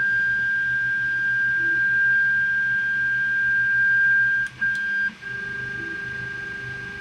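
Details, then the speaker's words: Creality Ender 3 Pro 3D printer without a silent mainboard during setup and homing: steady high-pitched stepper motor hum, with a second tone joining as the axes move; normal stepper noise. "you hear that humming sound of the stepper motors this does not have a silent motherboard in it or main board so you're hearing all the humming and everything from these stepper motors"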